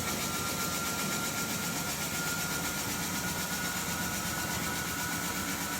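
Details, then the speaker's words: Javelin 16-4 portable 4-inch auger with high torque kit at full speed, moving about 100 lb of fine cakey dense powder; a constant dense rushing churn with a faint steady high tone, no knocking or labouring, normal under load. "Now we are going to introduce the product. Again, this is approximately 100 pounds."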